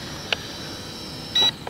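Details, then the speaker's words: JY011W Wi-Fi FPV drone flying about 20 feet up: a faint motor whine, then one short high transmitter beep as the motors cut out. Pressing the flip button triggered the emergency motor stop. "that was the emergency stop I did say stop and I yeah I did say hold it and I forgot that's the emergency stop button"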